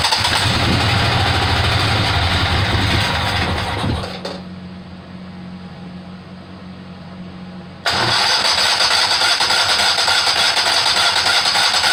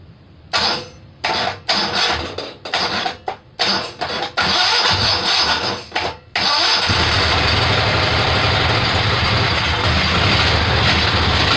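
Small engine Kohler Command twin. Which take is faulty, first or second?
first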